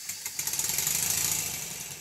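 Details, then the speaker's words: Stuart Models 7A vertical model steam engine under load after valve fork rotated one turn to centre the valve over the ports: crisp evenly spaced equally loud exhaust beats about fourteen a second over steady hiss; valve timing balanced. "the beats are crisp and quite even I had to tweak it slightly"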